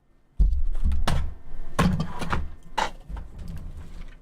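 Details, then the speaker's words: VCR tape mechanism cycling with the cover removed, before lubrication with WD-40: irregular clunks and light rattling about three or four a second, something loose; cause unclear. "ah 444 the capella Express it was one of these mechanisms here you might even be able to hear the little noise of something rattling"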